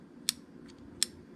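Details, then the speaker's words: Winchester safe electronic keypad lock after cleaning and lubricating with Real Magic (battery replaced first, didn't help; latch previously stuck): keycode entered, two crisp clicks about 0.75 s apart, latch releasing freely without sticking; normal latch release. "i'm going to put my key code in and make sure that works heard that release there we go all right let me do that one more time heard it release"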